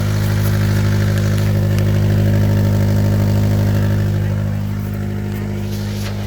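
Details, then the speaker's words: 2004 Honda Element EX at idle: steady low idle with faint rhythmic puffing about three pulses a second; exhaust leak at the flange right behind the catalytic converter, where an aftermarket donut gasket, apparently slightly too big, worked loose. "i'm pretty sure you can hear it it does have a exhaust leak [Laughter] it is at the flange right behind the catalytic converter"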